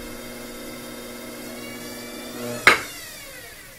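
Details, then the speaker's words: Pottery wheel after fixing squeak: steady low even motor hum with no squeak, then a single click near the end; running normally. "i don't hear the squeak i think that's just the sound of the motor all right i think that means we did it"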